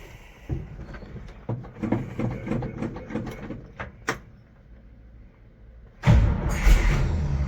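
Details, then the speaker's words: 1973 GMC 6500 grain truck, cold start after an oil check: slow ragged cranking with weak catches, then it fires and rumbles. The truck is reportedly very cold-blooded and needs extra throttle pumping; the carburetor is suspected. "Oh, she thought about it. Needs a little bit more pumpy pump. This truck, I've been told, is incredibly cold-blooded."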